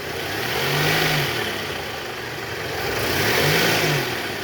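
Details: Toyota Alphard ANH10 engine, checked for a snoring growl from a weak belt tensioner, with another pulley spinning smooth and quiet: revs blip up and settle twice, smooth, no whine, growl or rattle; normal belt drive.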